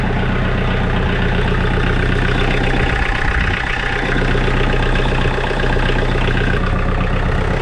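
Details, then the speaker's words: 2012 Kioti DK40se HST diesel tractor after glow plug work to fix hard starts and white smoke: a steady, even idle clatter with a deep rumble, no misses, hesitation or white smoke; normal idle. "I have absolutely no white smoke there no hesitation whatsoever and so that's a beautiful thing"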